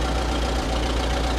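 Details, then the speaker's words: Oliver 66 tractor, low-throttle idle before carb clean and plug cleaning, runs bad and won't hold throttle low; heavy, uneven thumping, lumpy beat struggling to idle smoothly; rough idle, cause suspected (carb or electrical) not confirmed. "okay so you may be wondering why I'm going to clean the carb and put clean the plugs - it's because of the fact that this thing kind of runs bad so"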